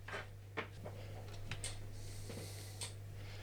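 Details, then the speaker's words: Dead Asus S330U laptop on power adapter, faint irregular clicks over low mains hum; power supply hiccups from a short on the main power rail, traced to a shorted capacitor whose removal fixed it. "I can hear the power supply clicking. Yeah, so I suspect there's a short somewhere."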